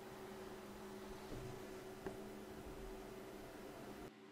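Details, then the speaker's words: New Dell XPS 8930 desktop under desk, idle with no work running, after component swaps, two engineer visits and a replacement unit: constant whooshing with thin steady whine, never easing off; CPU fan, blamed by owner, running loud with metallic noise. "the machines are we under the desk over the roid and the fan is just continually just pumping away they have metal-y noise"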